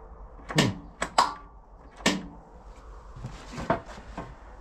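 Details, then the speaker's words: Lawn tractor with new solenoid and fresh fuel: sharp single clicks/clunk at each key turn, no cranking; starts only by bridging the solenoid, owner suspects a bad ground. "we got the new solenoid put in it clunks when you turn the key nothing else you can start it by Crossing the soleno"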